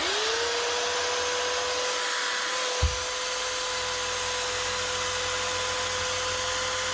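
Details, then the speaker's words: Power tool sent in for repair whose only fault was its 13 amp plug, run after a simple plug fix: the motor spins up quickly to a steady, even whine with no grinding, rattling or knocking; shocks and gears are good and it runs healthy. "nothing else seems to be wrong with that shocks good gears are good and it's running plug must have been all it was"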